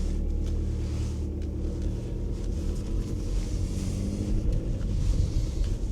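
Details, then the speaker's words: Audi A4 2.0 diesel, driving after repairs and passing its MOT with no advisories: a smooth, steady low diesel drone with no knocks or lumpiness, like a 1.9 PD. The engine runs healthy. "It runs really nice for a 2 L diesel. When I used to work at Audi Volkswagen, these 2 liter diesels were notorious for just running lumpy on idle. But this runs lovely and it feels and sounds like a 19 PD."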